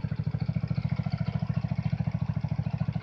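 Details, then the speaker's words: Hammerhead GTS 150 single-cylinder, freshly tuned up with a tach/hour meter added; even, steady putter at roughly three and a half beats a second, hardly a miss; idling smoothly and healthy. "Hardly a miss on it. So seems to be working good."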